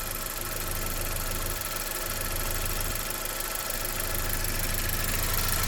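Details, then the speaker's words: 2011 Saab 9-5 NG after new turbo and timing chain kit (old turbo oil-starved, chain rattled previously), hood open: steady even low idle, no chain rattle or ticking; quiet, healthy idle after repair. "But it runs really good now, y'all. Listen to this thing. Unbelievable."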